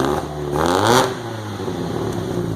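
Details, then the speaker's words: Throttle blip brings ragged spitting and popping through four Yamaha R1 motorcycle carbs fitted to a MK2 VW GTI replacing fuel injection, first start, settling to an uneven stumbling idle; owner suspects the engine is still cold; carburetor spitting. "look bad back here I don't know what spitting strum either I thought maybe cuz of a cold"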